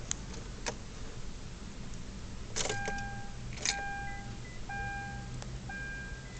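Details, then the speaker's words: 2011 Kia Sorento: key clicks and dash chimes repeat, engine never turns over, quiet between tries. No-crank no-start. "Here we go again, my car's not starting."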